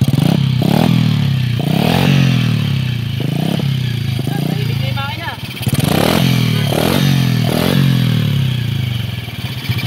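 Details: Sunriser SRM 110 motorcycle engine, after the motorcycle split in two was repaired and the chassis and tail light redone: small single revving and settling with an even beat, only light top-end ticking, no knock or rattle; engine now healthy.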